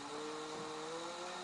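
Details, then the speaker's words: DC motor on a homemade PWM power regulator (200 W at 24 V version), battery-powered, drawing about 30 mA at minimum, regulator at 36 °C: a clean whine climbs smoothly as speed rises, a healthy run-up. "vemos que el motor regula también con batería muy lento muy lento así más más"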